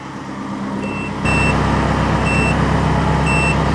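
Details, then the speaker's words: Ferrari-engined Alfa Romeo 105 ("Alfarrari") idling after overheating was cured: high chime repeating about every second over steady idle, a dash warning because the fuel and water temperature gauges still don't work. "The beeping is, I still have to sort out my fuel and water temp gauges. They're still not working."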